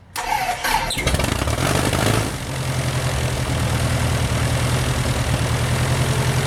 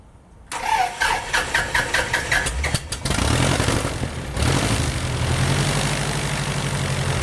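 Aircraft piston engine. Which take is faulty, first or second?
first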